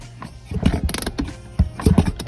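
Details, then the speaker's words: Honda CR125 two-stroke, engine just rebuilt: two hand kicks about a second apart, each with firm, even push through the stroke; good cranking compression. "just finished putting it back together pretty good so far cranks over a good compression"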